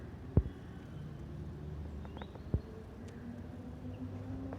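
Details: Car alternator poly-V belt drive; owner attributes belt whistling to the pulley grooves, which should be straight at 40 degrees: low, even engine hum with no squeal or chirp; belt runs quiet and normal.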